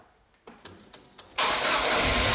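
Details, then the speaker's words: Ford Cosworth (Sierra/Escort RS) stood about 5 months with a weak battery, jump-started: four quick cranking pulses, then it catches at once and settles into a steady healthy idle; normal start, oil pressure fine. "So, Christian. Ja, läuft doch wieder, oder?"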